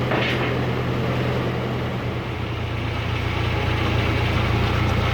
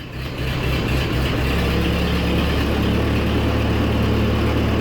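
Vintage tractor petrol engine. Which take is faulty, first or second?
first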